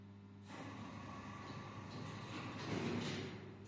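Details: Samarkand-built passenger lift (320 kg capacity, 0.71 m/s) after its AS-72 door-drive motor was replaced: smooth rising motor hum, even door slide with a soft hiss, no scraping or knocking; normal door operation.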